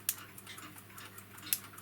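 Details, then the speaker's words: Tri-ang Super 4 R.490/R.491 model railway point with homemade replacement operating lever springs: two sharp crisp clicks about a second and a half apart as the lever snaps back under spring power; normal spring return click. "if i pull them just like that there you can hear it clicking back under the power of the"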